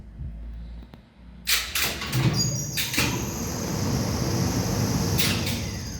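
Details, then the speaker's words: 1969 Schindler lift motor in the top-floor motor room: a few sharp contactor clicks, then a steady, even low hum with no knocks or grinding during normal runs; a healthy lift drive. "but it's the sound of the motor that I'd like you to listen to it gives you a clue to what the device does on the end of the motor"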